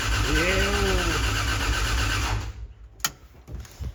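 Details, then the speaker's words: Freshly rebuilt Toyota 2JZ in a Corolla wagon cranked to prime oil with cam and crank sensors unplugged; steady, even cranking at about three turns a second, no knocks or grinding, then stops; no faults heard. "Cam and crank angle sensor are unplugged currently, so yeah, we should just be able to crank it over and make oil pressure after about 15 to 20 seconds, I hope."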